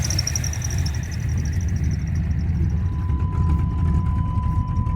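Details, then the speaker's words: Chevy S10 with small-block V8, after chassis wiring relocation, more exhaust planned: deep steady V8 idle with even lope, no knocks or ticks; normal idle, about 13 volts, oil pressure sensor still faulty. "oh she sounds good I'm going to put some more exhaust on it soon as I soon as I get a chance to"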